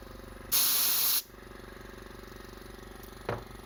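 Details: Scrapyard compressor, running after final fitting adapters: short sharp air blast, then steady, even motor drone with smooth rhythm and no knocking or grinding; running fine.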